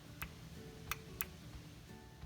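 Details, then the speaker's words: Audi A4 with the AC running, N280 variable-displacement compressor regulating valve tested on the bench with 12 V from a transformer: a few crisp single clicks at uneven intervals as power is applied, showing the valve works normally. "now we're going to hook up 12 volts to the n280 valve whenever we apply the 12 volts from the transformer you'll hear it click"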